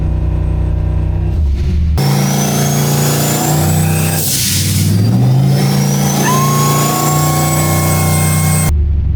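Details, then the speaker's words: Turbo Oldsmobile on a Holley Terminator X, light-throttle (about 10%) dyno sweep: a clean turbo whistle rising and falling as it spools quickly, a healthy turbo. "So it kind of ran around in circles a little bit, but this thing spools up so fast that you give it any throttle and the turbo just sounds like it's going crazy."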